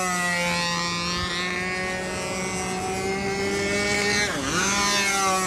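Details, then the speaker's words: Windy U Master 791 model aircraft two-stroke engine in flight: high buzzing scream that wavers and dips as the tank empties, detonating as it runs out of fuel. "okay now you can't really hear the engine detonating now but as it runs out of fuel it is detonating you can hear that detonation yeah you can fix this oh yeah it's fixable"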